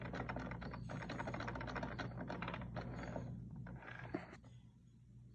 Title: Dodge Dart RALLYE engine knocking sound